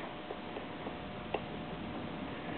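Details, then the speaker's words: 1955 MG TF-1500 rear differential after new shims behind the spider and axle gears, during a ring and pinion change from 4.875 to 4.3: faint light tick tick as the gears turn. Backlash is much reduced, with slight leftover lash. "we're now I'm not able to hear any now there's a little teeny bit you can just barely hear it's kind of tick tick tick tick"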